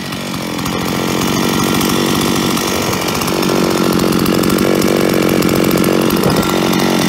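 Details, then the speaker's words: Solo 644 chainsaw, about 20 years old, after replacing a worn piston (0.12 mm cylinder clearance) that caused metallic clatter, especially at idle: strong steady roar holding at high revs, hard metallic clatter gone, barely a trace left; running healthy. "ja ich denke man konnte den Unterschied deutlich hören also das harte klappern ist weg"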